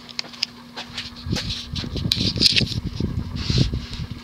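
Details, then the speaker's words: 1988 Hunter Embassy 42-inch ceiling fan, model 25644 with a 172x12 mm motor, on medium speed; irregular loud clunks and rattles over a low motor hum, not stiff: badly worn bearings needing replacement. "man those bearings are loud they're not stiff they're just loud and clunky they're clearly well worn"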